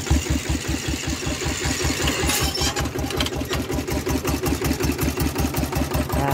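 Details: Iron-wheeled Thai tractor for rice-field ploughing with a changed, loud exhaust pipe: a loud, even single-cylinder diesel chug at about six beats a second, with no surging. Steady idle.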